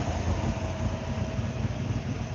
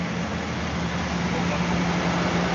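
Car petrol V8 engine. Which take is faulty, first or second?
second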